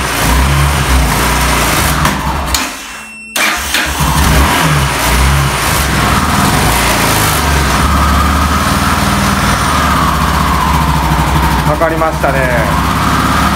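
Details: Yamaha XT600E 600 cc single with a flat battery, started in winter with the Autowit SuperCap2 Lite jump starter and choke pulled: cranks, catches cleanly, settles into steady thumping idle and revs smoothly.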